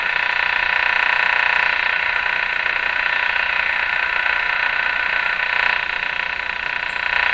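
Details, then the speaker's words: 1935 Rogers 7R622 tube radio with burned AM antenna transformer: very weak AM reception under steady hiss and rapid clicking about three per second resembling engine ignition noise, from an unknown source, coming and going randomly. "very weak so there's a number of interferences there and i've gotten familiar with the sounds of them one is that rapid clicking sounds like engine ignition noise comes from a source i don't know what comes and goes randomly"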